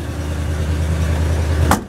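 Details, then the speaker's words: Cold-start idle of a carbureted truck with a cold exhaust manifold and choke pulled fully out: steady, even low rumble, running smooth with no shaking or smoking, slightly rich on full choke; normal cold idle. "and as it warms up you want to push the choke in a little bit running nice and smooth no shaking no smoking or anything just running a little rich because the chokes all the way in"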